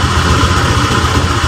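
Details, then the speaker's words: Honda Vario 125 (old) at idle: uneven, hunting idle, throttle position sensor reading fluctuating and injector value off spec (should be about 2); throttle body to be dismantled, plus fuel float and radiator checks. "pada kondisi stasioner untuk tps-nya nilainya ber berubah-ubah dan untuk injektornya itu juga di S koma harusnya di dua koma"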